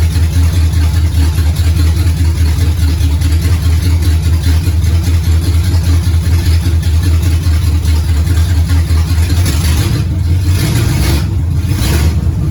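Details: 1969 Pontiac GTO barn find with a 400ci V8 and a TH400 that needs rebuilding, run on a makeshift dash setup: deep, steady V8 rumble with no knocking or misfire. The engine runs fine.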